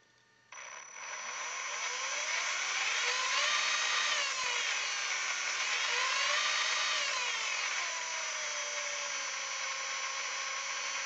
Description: The Tekin 30-turn brushed motor in my Axial Wraith is makng a strange buzzing noise, but only when powered.